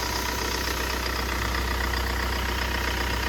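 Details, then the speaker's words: Mahindra Scorpio diesel just after engine rebuild, plain water in place of coolant: steady, even diesel clatter at idle, about four beats a second, no misses, knocks or back compression. Normal idle. "গাড়ির sound শুনুন, গাড়িতে খুব সুন্দর sound আছে, কোনো problem নেই। ইঞ্জিনে দেখে নিন ব্যাক কম্প্রেসার, কোনো ব্যাক কম্প্রেসার নেই।"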